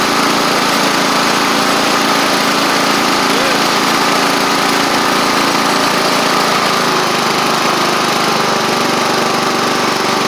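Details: Sabre riding mower test run after repair (new drive belt, blades, head gasket), about 32°F outside: steady, even engine drone through the whole run, no knocks, misses or surging. Residual oil smoke burning off. Normal running.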